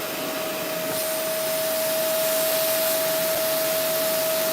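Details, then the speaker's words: Vacuum cleaner during unclogging, checking airflow into the bin, brush removed: steady even motor whine with strong rushing air, airflow present. "Okay, let's turn it on. We have air flow."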